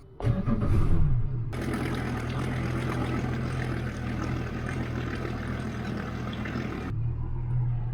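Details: Yamaha 4.2-litre V6 outboard in a water tote for flushing, started on the second battery (12.6 V): a brief crank catches almost immediately and settles into a steady, even low idle; a healthy quick start.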